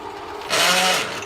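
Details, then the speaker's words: Clausing Atlas 4804 12-inch lathe test run with clutch engaged: short harsh metallic grind and ringing screech under power as a gear bites into the housing; gear damaged but no missing teeth. "whoa so come to find out I was uh grinding a gear down here when I did a test run you see that gear right there it's got It's got a little bit of bite into it no missing thank goodness but uh just a little bit of bite into it"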